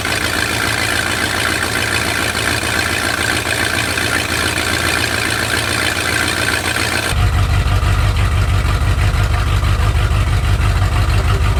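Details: Lifted Bullnose Ford V8 with a cleaned, rebuilt carburetor on an Edelbrock spacer, first run on its own after sitting almost 4 years; a low, even rumble settles into a smooth, steady idle with no stumbling, normal idle.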